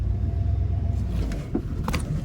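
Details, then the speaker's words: 1995 Ford F-150 after swapping the factory power steering pump for a Saginaw pump: wheel held at full lock, only low engine rumble, no whine or rising tone, super quiet; normal power steering at full lock. "Pulling the steering wheel all the way over. So gonna line back up. Nothing. It's so quiet. Oh, I love it."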